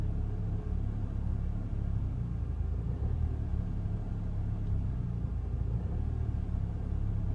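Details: Fiesta ST with the engine management light on: a low, uneven idle rumble with a lumpy, unsteady beat, the engine idling rough.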